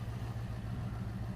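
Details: 1997 Dodge high-roof van, 360 V8, automatic, just started after sitting about 5+ years: smooth even low rumble with steady beat, no knocks or misses; normal idle.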